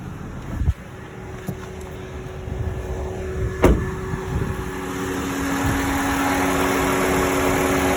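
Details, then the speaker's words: 2009 Honda Civic, accident-damaged and towed, sat 2 days: warmed-up idle with the AC compressor running. Even, quiet idle with a few handling clicks and no knocks or rattles. Temperature holding, not overheating; engine fine. "I warm up the engine and it works very good. There's no issues with the engine."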